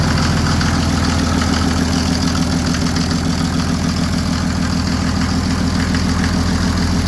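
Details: Mercedes OM603 diesel swapped into Ford Ranger with ZF5 transmission, first start after hot-wiring glow plugs, throttle propped slightly open: steady, even diesel idle, regular chug, no misses or hunting, good oil pressure.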